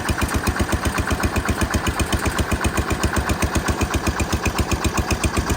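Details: Massey Ferguson 16 garden tractor, just fitted with a replacement aftermarket ignition, at full throttle: even slow thumping about four beats a second, not reaching top governed revs; owner suspects throttle cable adjustment needed.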